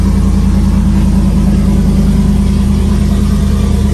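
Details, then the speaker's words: Naturally aspirated cammed V8 (HPT cam) just after BES Racing heads install, long tube headers, full bolt-ons; deep even rumble with steady firing, no ticking or knocking over the exhaust, sounds tight; normal running. "damn good. So good. So good. Let's give it some gas. Woo. Sounding tight. Sounds tight, baby. Sounds good."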